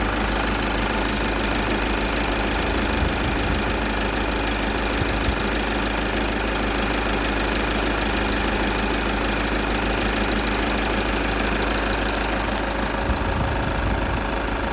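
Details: VW Golf 6 2.0 TDI (140/110), warm engine at idle: faint, uneven light tapping about two a second over the diesel clatter, most audible near the end; source not yet identified.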